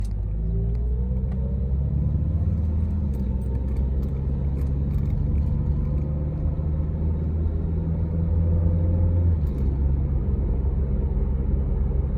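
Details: 2002 Honda CR-V with P0420 code, not starting properly: deep engine rumble with an uneven, lumpy beat and occasional stumbles over a dozen seconds; rough running with misfires.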